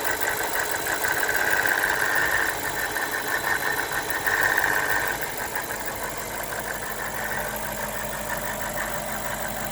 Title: BMW E60 545i N62 engine rattle noise from right bank